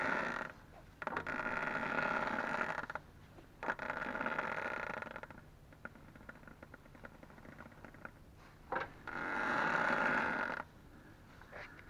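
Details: Ford Focus 2, 2.0 automatic, new Loebro drive shafts at 1000 km: both outer CV joint boots, left and right, squeak as the wheel is turned, with quiet rubbing squeaks in bursts of a second or two.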